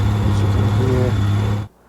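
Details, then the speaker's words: 1990 Honda GL1500 flat-six after long storage, rusted spark plugs and cylinder walls, a teaspoon of oil added to cylinders: deep, steady, even idle drum then clean cut-off; heavy smoke at start from burning that oil; it runs again. "You can see so much smoke that comes out in the beginning because it's burning that oil that I put in the spark plugs as well, but it's also been sitting for a long time, so put some audio here"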